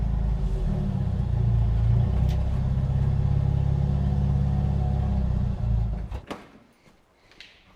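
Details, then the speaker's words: Jeep YJ Wrangler four-cylinder at idle with exhaust essentially missing after the catalytic converter: deep, raw, very loud unmuffled drone. "the exhaust on this little YJ is basically non-existent after the cat so it's really loud"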